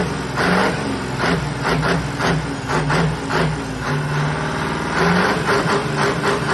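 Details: Iveco Turbostar 190-48 truck, 18-litre V8, after workshop repair with all pipes open: deep, loud rumble rising and falling through repeated throttle pulls, strong and even with no knocks or rattles; healthy.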